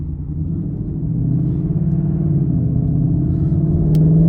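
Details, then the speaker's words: 2019 Mustang GT with Corsa Xtreme active catback exhaust, driving in sport mode after warranty tip/valve repair: deep V8 rumble swells under acceleration with no hiss or flutter; the earlier valve-flap hissing is gone and the active exhaust works properly. "all right oh yeah the sport mode is back uh no hissing sound the tips are working as they're intended to be"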